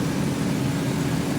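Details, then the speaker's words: 2004 Chevrolet Astro on a test drive after its leaf springs, bushings and rub pads were lubricated with white lithium and retorqued: smooth road and engine hum with no knocks or clunks over bumps. The rear suspension is now quiet. "definitely was quiet."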